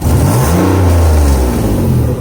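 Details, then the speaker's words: Infiniti Q50 3.7L VQ37 V6 after spark plug replacement: revs rise and fall with a loud, raspy low roar from an exhaust leak where the manifold meets the first pipe. "Yep. Exhaust leak, but oh well. The manifold meets the first pipe."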